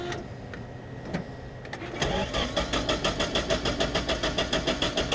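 Steady starter cranking at about three turns a second with a slightly uneven beat, no catch yet: a flooded engine being cleared.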